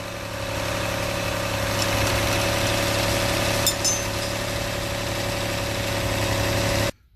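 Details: 2004 Mitsubishi Endeavor petrol engine on cold start idles with a busy, uneven rattle from a slack timing belt; hydraulic tensioner loses pressure overnight, noise fades after 5–10 minutes warm-up; replacing the tensioner cured it.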